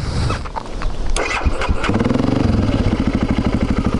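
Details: BMW 650 X-Moto supermoto single that had been stalling at idle after refuelling (owner unsure if bad fuel); after handling noise it fires up and holds an even, regular thump at idle without stumbling; normal start and idle.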